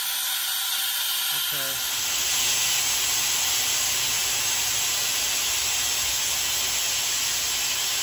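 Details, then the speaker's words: 1973 American LaFrance Pioneer fire engine, Detroit Diesel 6-71, brake pedal held: loud steady hiss of escaping air from leaking front quick release valve in air brake system. "okay all right so that is the quick release valve in the front air brake system that is leaking"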